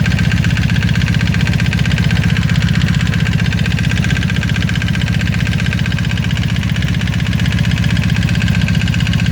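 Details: 1995 Honda Magna idling with a regular knocking tap in its low rumble; the owner wonders whether it is the chain tensioner or valve noise, unconfirmed.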